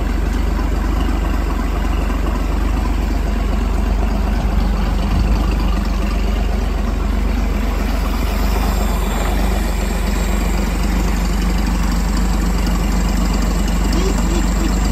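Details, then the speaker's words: 1957 Chrysler Crown M47 marine 265 cu in flathead six from a 23 ft Lyman, after complete overhaul of a seized engine with donor block and used manifold: deep smooth even idle, steady low beat, no ticks, knocks or misfires; healthy. "But this thing sounds like an absolutely million bucks. You will not find a better idling, better engine than the Chrysler Flathead 6."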